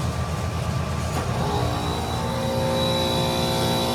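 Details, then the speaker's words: Trane HVAC unit with mislabeled first/second stage wiring and a melted wire; second-stage compressor sounds terrible and stays that way, harsh rough running under steady whine, drawing 15 amps versus 5 on first stage; suspected wrongly phased. "sounds terrible stays sounding terrible oh I missed the show hang on and is pulling 15 amps because it's phased wrong the second stage compressor maybe phased wrong"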